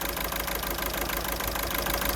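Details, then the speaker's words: 2009 VW Golf 1.6 TDI 90bhp CAYB diesel with codes P0203 and P0606: clattery, uneven lumpy idle running on three cylinders because the cylinder 3 injector is dead; unplugging it changes nothing. "the engine is running on three cylinders the cylinder three which is the bad one I'm just going to disconnect the cable see that nothing changes obviously this was popping"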